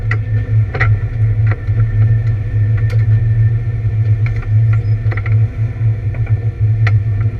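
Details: ABR Camaro on misfire laps: loud steady V8 drone on track with scattered uneven stumbles and rattles breaking the rhythm, an engine misfire under load.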